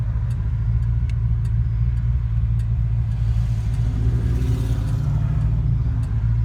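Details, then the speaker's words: Fox-body rebuilt 5.0 V8 with XE270 cam and Walbro high-flow pump, warmed up, lugging at low rpm in second gear/around 55; deep even rumble with no surging or bucking, smooth under load. "There's 1100 RPMs in second gear, no bucking. Yep, not too shabby."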